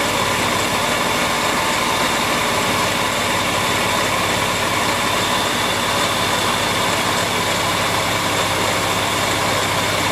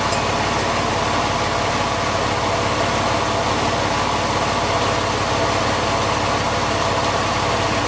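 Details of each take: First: Porsche 911 996 Carrera 4S at idle, heard via stethoscope on belt pulleys: constant dry whirring as the belt runs, vibration felt by hand; tensioner pulley bearing worn, not idler, water pump or alternator. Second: Porsche 911 996 Carrera 4S after fitting pulleys borrowed from a Boxster 986, MAP sensor and air intake off so idling slightly rough: steady even hum with no chirp, squeal or bearing rumble; belt drive now quieter.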